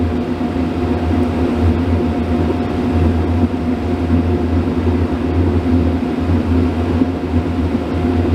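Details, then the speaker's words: RV camper furnace that lit and went out repeatedly, removed and cleaned with compressed air, bench-tested with shop equipment in background: steady blower hum with even flame rush; running smoothly while warming up, fault not yet reproduced. "I know there's some equipment running in the background, but you should be able to hear the flames on."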